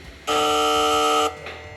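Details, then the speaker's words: 1989 Ford Mustang GT Foxbody restomod with a freshly flashed base tune, key in on position before first start: a steady, loud electric buzz lasts about a second, then cuts off; source not yet traced. "It's making some kind of buzzing noise. Jesus. I didn't even know it was capable of making such noises."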